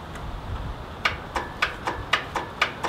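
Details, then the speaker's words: Free Craftsman riding tractor with charged battery, key turned: steady sharp clicks about four per second and no cranking; owner thinks the starter might be seized. "I think that I think the starter might be seized so what I want to do is take off and they take off the starter"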